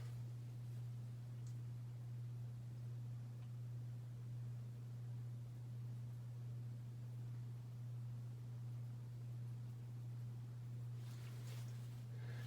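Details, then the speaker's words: Hampton Bay Cameron II Plus ceiling fan from December 1999, started on high but turning very slowly, with a loud, steady low motor hum; owner attributes the slow speed and hum to a bad capacitor awaiting replacement. "you could probably hear that humming and yes that is from the fan"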